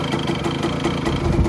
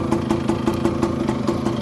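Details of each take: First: 1985 Kawasaki KE100 two-stroke, sat many years, idling in neutral with charging working: quick, even popping tick-over at a steady pace, no stumbles; healthy idle. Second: 1985 Kawasaki KE100 two-stroke, sat many years with blocked carburettor, running on premix, idling: light regular tick about five or six a second over the idle; a funny noise, source not yet found, to be investigated.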